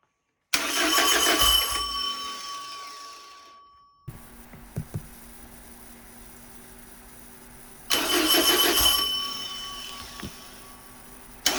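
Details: Porsche 914 with newly built 2056 cc engine, dual throttle body MegaSquirt EFI, 123Ignition, first start on test stand: catches and revs briefly, dies within seconds, twice; lean stall, fuel settings not correct in software, later fixed.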